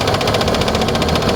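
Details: Car engine that suddenly developed a knocking noise: steady fast knock over the idle with no change in engine speed, a sharp internal knock; cause suspected, not confirmed.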